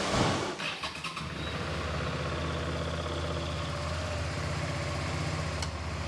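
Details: Suzuki V-Strom DL650 started after oil and filter change: quick crank and catch, then steady, even low idle with regular beat, no tapping or rattles; healthy start and idle.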